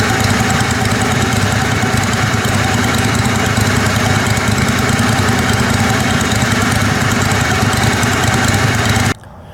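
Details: Kohler Command Pro 27hp lawn mower V-twin after head gasket repair, muffler baffle removed (possibly part of gasket failure): loud even drone at steady speed, no misses or surges, until shut off; normal running.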